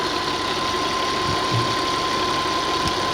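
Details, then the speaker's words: 2003 Audi Allroad Quattro 2.7L twin turbo, automatic, AWD, warm after about 20 minutes running, check-engine light with 8 codes: steady, even smooth drone with no knocks, ticks or rattles; healthy engine. "it sounds like it runs okay it is pretty smooth"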